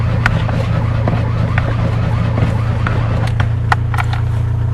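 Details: Fiat 126 cold start attempt, last started 18 October: the starter turns the engine over at a steady pace but it never fires. Owner suspects spark plugs or the coil. Crank, no start.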